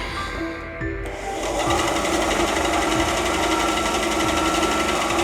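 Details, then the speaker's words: Parkside PBS 350 B2 bandsaw rebuilt from two broken units, after increasing blade tension: an even motor hum with a light, regular tick about four times a second. Normal running, improved from the earlier internal noise. "Sounds better now. Yeah, definitely I needed more tension."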